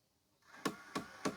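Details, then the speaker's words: Hitachi TV/DVD combo VC326000 that won't load or eject discs: small motor whirs while sharp clicks repeat about three a second as the last gear on the disc roller shaft slips; it had worked off the shaft before. "And you can see it's actually clicking. It's slipping."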